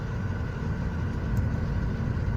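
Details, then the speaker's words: 2016 Toyota Avanza Type E, 1NR dual VVT-i, check engine light on, AC on: a constant, even drone where RPM stays stuck high and won't drop. "dan RPM itu terpatok di Hai itu enggak turun-turun nih"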